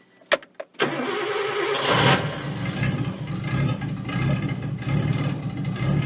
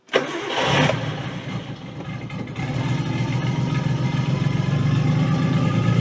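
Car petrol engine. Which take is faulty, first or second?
second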